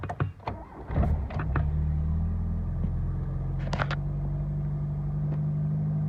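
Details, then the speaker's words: 1984 Dodge Omni GLH, cold start: a few cranking bursts, then it catches and settles into a steady, slightly raised hum. Normal cold-start fast idle with the choke on; runs well, quiet, and doesn't really smoke. "Idles up a little bit because the choke's on."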